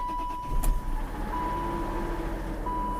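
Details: BMW M52 engine (E39/E46/E53) after idler pulley and coolant hose repair: starts quickly and settles into a steady, even idle under a constant chime, no squeal or knock; no steam, healthy.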